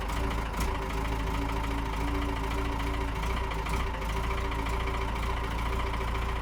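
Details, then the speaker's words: Camper van diesel "Helix" with a weak battery, just started in the morning after waiting for the oil to warm: it settles into an even, steady idle with a low rumble and no stumble or knock. A clean start. "that's uh that's a good start wait for the baby to warm up"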